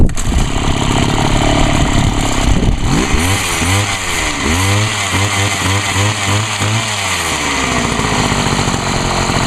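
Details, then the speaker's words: Homelite HT-21 hedge trimmer two-stroke after carburettor rebuild, no adjustment needed: catches after a few pulls, revs up and down cleanly and settles evenly; runs well and quietly with its small muffler. "she's actually running well I'm Ashley surprised how quiet that thing really is got a pretty small buffer on it"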